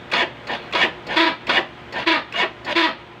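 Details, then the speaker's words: Honda Wave CX 110 motorcycle with weak battery, push-start: rhythmic rasping scrape about 2.5 strokes a second as starter cranks without catching; suspected carbon deposits inside the starter motor making it rub. "Mga posibleng marumi So yun ang lilinisin natin pagka Marami ng Carbon deposit doun sa sa loob So ganun sumasayad na siya kaya May ganon na tunog"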